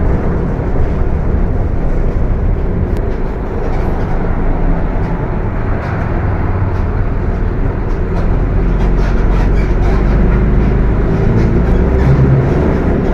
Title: [Engine Sound](Transmissão Roncando)Apache vip IV Mercedes Benz OF 1721 BTC 5 Viação Estrela 100.115